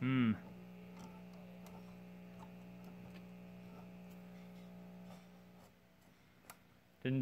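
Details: 1951 Silvertone clock radio after resoldering connections, volume turned up: only a steady low mains hum with faint clicks and no station audio while the tubes glow.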